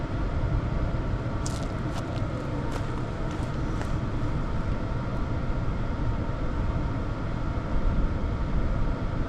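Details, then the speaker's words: Hcalory TB Max diesel heater running, outlet about 220°F: low steady fan-and-burner rumble, few faint ticks, no surging or rattles; quiet for its output; normal running. "This thing is actually pretty darn quiet um for what it's doing."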